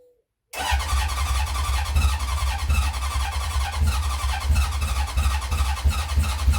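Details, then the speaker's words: 1970 Honda CB750 K0 four-cylinder, first start in decades, jump-assisted from a bigger battery: catches into uneven, lumpy low pulsing with no steady beat; owner suspects it isn't firing on all cylinders; rough running. "I think it's not firing on some of all the cylinders, so we'll see."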